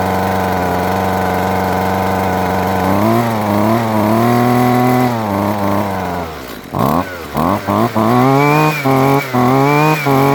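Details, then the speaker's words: Husqvarna 128LD two-stroke string trimmer after fuel line replacement, started on half choke from cold: crisp buzzing idle that rises cleanly and snaps back on quick throttle blips with no hesitation; normal running. "that's a beautiful thing and now we'll have to see how it runs over time"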